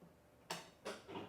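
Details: Scag EVZ electric mower after shop repair: three crisp clicks about a third of a second apart on power-up, then it boots normally. The fault was a loose nut letting the left-side neutral rod drift out of adjustment; it has now been readjusted.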